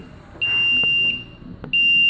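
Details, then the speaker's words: Aquarium filtration setup, overflow float switch tripped: loud steady high beeping near 2.7 kHz, two long blasts with short gap; pump stops and horn alarm sounds until float drops and switch reset. "So like that, you can hear the alarm. So what happened? The pump, it will stop. So any problem, you can hear that alarm."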